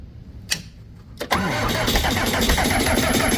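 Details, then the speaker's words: Skid loader diesel at 22°F, suspected water in the fuel line, fuel filter hand-primed and air being bled: steady starter cranking at about four turns a second that never catches; battery running low, cold also suspected. "Might just be too cold at this point. Come on, baby. We're running out of battery."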